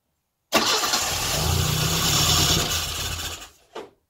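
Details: Classic Mini engine's first start, compression spot on; catches at once, runs evenly about three seconds, then dies as the small amount of fuel in the carb runs out.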